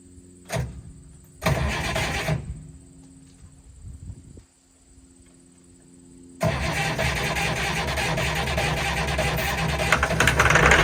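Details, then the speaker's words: Allis Chalmers 190XT diesel tractor being revived, with a hydraulic line only loosely fitted and starting fluid on hand: two short cranking bursts, then it catches and runs with a steady clatter; fires right up, normal start. "But it fired right up, so that's good. Good sign anyways."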